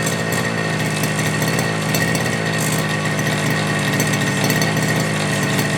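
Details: FG Marder petrol RC car, two-stroke, started without choke after front-end repair and brake/throttle linkage adjustment. High, steady buzzing pitch with no misses or surging; the engine runs clean and healthy.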